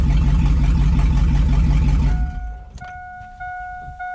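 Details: 2002 2500HD parts truck, possibly about 622,000 miles, on old gas; over 40 psi oil pressure, alternator charging; deep steady idle lope about three beats a second, no knocks or misses, before shutoff; healthy.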